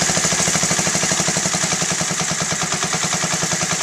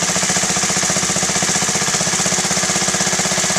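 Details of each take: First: Honda Z50A Mini Trail 50 single, carb cleaned and rebuilt, warm after about 5 minutes of running, pilot air screw about 1.5 turns out: idle deliberately set very low with slow, slightly uneven putters so mixture changes show. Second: Honda Z50A Mini Trail 50 single, freshly rebuilt carb: after the pilot screw is backed to its highest-RPM point and the idle is lowered slightly, there is an even putter of about four beats a second with no stumble, so the idle is properly set.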